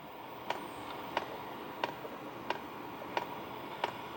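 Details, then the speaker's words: HCalory Toolbox 2 diesel heater warming up after start-up: crisp, even fuel pump ticks of about one and a half per second over a soft fan hiss, very quiet. Dosing pump is metering fuel normally. "that's a quiet fuel pump this is one of the most quietest fuel pump I've ever [Applause] heard"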